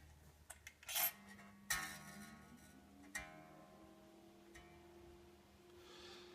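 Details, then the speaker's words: Squier Bullet Mustang guitar with new strings: plucked low E string gives a bright, fizzy rattle on each attack, buzzing because its saddle is set too low while the 12-inch bridge radius is set; saddle to be raised with grub screws. "and that is definitely too low you can hear it buzzing so that's going to come up a little bit"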